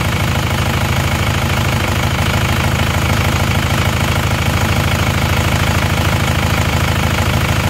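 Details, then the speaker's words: Isuzu Panther diesel with severe blow-by, before repair, morning idle: rough, with a heavy regular chuff about two to three a second; the dipstick is pushed up by crankcase pressure and smoke jets out. "Ini bertekanan, teman-teman. Jadi bertekanan ini. Jadi asapnya menyembur ya."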